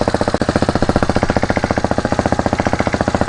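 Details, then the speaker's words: 2019 fuel-injected RPS Hawk DLX 250 dirt bike, new counterbalanced engine on its first start and heat cycle after assembly: fast even thumping about thirteen beats a second at idle with a light mechanical rattle underneath from the clutch, expected to break in. "You hear the clutch? Yeah, everything's got to break in."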